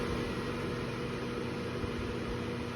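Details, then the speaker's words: New KitchenAid microwave hood combination KMHC319LSS00 (made Sept 2023), six-speed vent fan, uninstalled: steady low hum from the fan motor at reduced speeds 3-5, louder than the airy whoosh; cause not pinned down. "listen to the extra hum that kicks in when I go to speed five you hear that I hope it comes through that extra hum is still maintained pretty prominently at speed 4 and speed"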